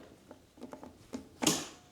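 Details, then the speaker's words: Engine being turned by hand after removing spark plugs to reach top dead centre, previously feared seized: quiet turning noises, then one sharp metallic click as the locking pin drops in; TDC locking pin engaged. "Hopefully, you should hear it click from that pin now, when I turn it more."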